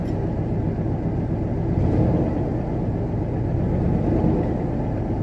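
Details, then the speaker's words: 1994 Ford F250 with 460 V8 and many exhaust leaks, just started after a long hard start with suspected fuel delivery problem: deep, even low rumble, surprisingly quiet, no misses, knocks or ticks; smooth steady normal idle. "it's very reasonable in terms of noise you'd think that a 460 with about a million exhaust leaks would you know sound loud but nope not this boy"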